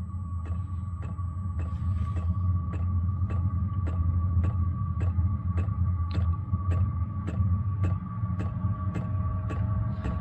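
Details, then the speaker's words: Diesel air heater running on red diesel from a 12 V battery on a charger, blower on full blast during ignition: a low steady blower hum with a fuel pump ticking about twice a second, the tone changing as it lights. A normal blower ramp-up. "it's just ramping up now you can hear the uh the blower in the motor it's just changed tone it's ignited"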